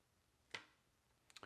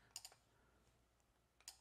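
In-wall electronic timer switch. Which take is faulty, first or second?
second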